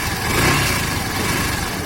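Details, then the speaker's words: Yamaha Fazer FZ15 (150) idling with a busy, uneven mechanical clatter over the exhaust; something knocking inside, also noticed with a passenger, climbing hills and in low gear; source unknown, owner unsure if chronic or harmful. "provavelmente é o mesmo barulho que vocês estão escutando tem alguma coisa batendo não sei se é um café um problema crônico se é o que vai se vai afetar um motor"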